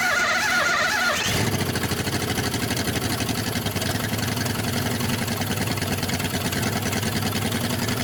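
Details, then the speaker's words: 1962 Dodge 100 first start in 25 years, idled up: fast idle with steady quick valvetrain ticking on one side; suspected rocker arm or pushrod off; no rod knock, little smoke or blow-by. "It's running a little better, but it's still got a noise, and it sounds like it's on this side. Like we may have a rocker arm off or a push rod or something."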